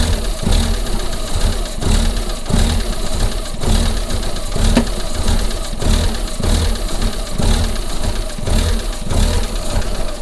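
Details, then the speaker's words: Rough-running, shaking engine with sensor errors after intake pressure sensor replacement: idle with heavy thud about once a second over low rumble; source not found. "so tell where that banging noise is coming from so really can't tell i think it's coming from that is there anything in there that moves"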